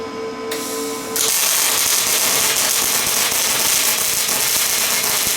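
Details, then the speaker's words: Lincoln 210MP MIG at 360 ipm wire feed and 22 V on thick plate: a steady, fast bacon-sizzle crackle showing short-circuit transfer, too little voltage for that plate. "you can hear the bacon sizzling sound I mean I don't hear it as bacon sizzling but that's how a lot of people describe that they sounds like bacon frying that means you're on a short ccate"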